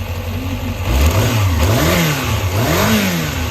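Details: Yamaha XJR400 (4HM) complete engine assembly on a start-up check, compression tested: a smooth, even four-cylinder idle with clean throttle blips and no abnormal noises. It is running healthy.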